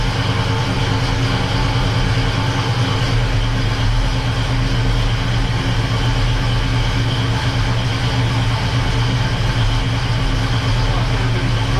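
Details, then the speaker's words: Freshly rebuilt 350 V8 in a 1969 Oldsmobile Cutlass, first start, new cam break-in held above 2,000 rpm for 20 minutes: deep steady drone at fast idle, no knocks or misses; running smooth. "we started breaking in the cam and we need to keep the RPMs above 2,000 RPMs um so we had to do this for 20 minutes"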